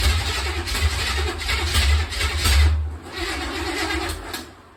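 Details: Small-block V8 with intake not sealed on driver's side bank, a massive vacuum leak: engine catches, stumbles and surges unevenly, then fades out, unable to hold idle.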